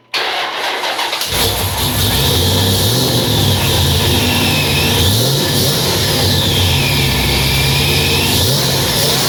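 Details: Supercharged 1999 Dodge Dakota RT with an Eaton M122 from an 08 GT500 on a modified intake, self-tuned: cold start after reinstalling the power steering pulley and modified tensioner. Catches within a second into a loud, even V8 idle with faint blower whine, warming up.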